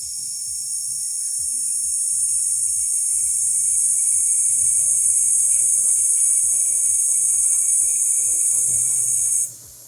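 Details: Bentley on a lift with wheel and arch liner off, cooling system under pressure test: a steady high hiss with a faint thin whistle, cutting off abruptly, as coolant escapes past a radiator pipe O-ring near the water pump; pressure drops quickly.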